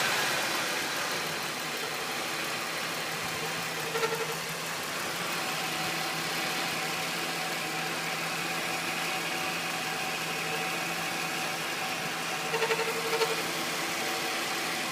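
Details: 2000 Ford Taurus with the Vulcan engine (VIN U), hot idle: short, high chirps break through at irregular intervals every few seconds, only hot at idle and not when driving. The cam synchronizer was replaced to rule it out; the transmission is suspected, unconfirmed.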